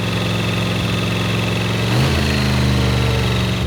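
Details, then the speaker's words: Rebuilt 305 V8 in 1985 IROC Camaro at idle after 20-minute break-in: faint constant whine from the power steering pump, low on fluid; noise disappeared once topped off. "everything sounded great except for a slight noise coming from the power steering pump it needed a bit of fluid and once topped off the noise disappeared"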